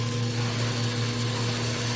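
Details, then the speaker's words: Acrylic centrifugal pump on a trainer, electric motor via magnetic coupling, suction valve being closed: as the vacuum reaches -10 to -14 inHg, a faint hissy crackle rises over the steady motor hum as cavitation begins. "closing the valve [Music] and watching the gauge okay to go down minus 10 inches of mercury minus 12. that's 14 you can start to hear flashing occur there"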